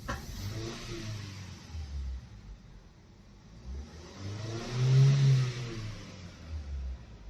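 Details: Petrol car idling unevenly and stumbling through a rev with engine light blinking and P0300 after washing; water on the engine shorted a spark plug, causing the misfire.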